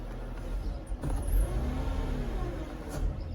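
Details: Mercedes CLK 320 3.2 V6, warm: revs start to climb then fall flat and choke with a backfire pop, no power on acceleration; faulty air flow meter (MAF), fixed by replacement.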